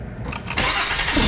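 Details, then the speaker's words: 2009 Mercury Milan 3.0L after starter replacement (old starter cranked slowly): quick, strong whirring crank picks up sharply, spinning the engine over briskly; new starter spins the motor much faster than the old one, problem fixed. "Alrighty, it seemed to have fixed the problem. I slipped on the last one, and that starter is definitely spinning the motor over a lot faster than the old one."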